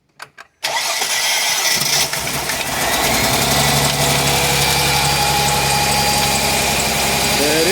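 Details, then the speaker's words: Mercedes-Benz C240 C-Class after fuel injector replacement: brief crank, fires into an unsteady, lumpy idle that slowly smooths out because the fuel rail was empty and is refilling. "sounds kind of weird because uh the fuel rail was empty but there it is you got to hear it bad boy sounds good"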